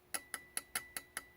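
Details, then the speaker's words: Volvo 850 fuel injector on the bench, tapped with a wire for power: crisp, even solenoid clicks, normal operation; injector clean with even spray pattern. "You can hear that solenoid clicking in there."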